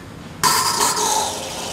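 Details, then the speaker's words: Carbonator pump kicking on after restoring power (unit had been unplugged or its GFI outlet tripped, so soda button gave only CO2): sudden steady hiss and hum, no knocking or rattle; normal pump running, to cycle a few times to recarbonate. "you'll be able to tell right away the pump will kick on you're probably going to hear this noise which is a good noise the pump is kicking on"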